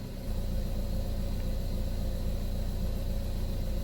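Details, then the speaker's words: 2012 Buick Verano 2.4L idling smoothly with no knocks or misses after replacing the camshaft position actuator solenoids (codes P0013, P0119 cleared, new P0011 pending); worn solenoids would make it run rough. "but as far as my car sounds, it sounds like it's running smooth, which is typical of the camshaft solenoid. It'll run a little rough if those need replaced, but mine sounds good."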